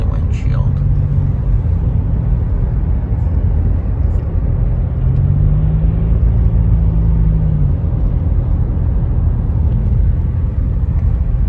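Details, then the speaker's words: 2015 Toyota Corolla LE after sealing windshield-to-roof gap, driving about 40 mph: only low steady road rumble, no whistle or rushing from windshield top where it occurred at 35–40 mph before the fix; no wind noise. "don't hear it and it was really evident when um well before the fix and right now it's pretty good"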